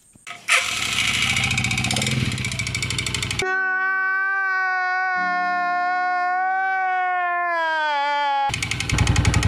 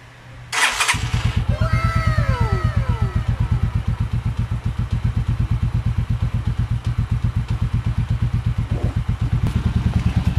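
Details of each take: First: Motoposh Pinoy 155 (about 150cc) motorcycle, long stored, hard to start, idling with a loud knock that sounds like connecting rod knock; rod checked fine, actually piston slap from a worn, loose cylinder bore needing a rebore; timing gear also chipped. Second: Pinoy 155 (150cc), long left unused, catches and settles into a steady, even idle with a deep, regular exhaust thump after a new timing gear and cylinder head work.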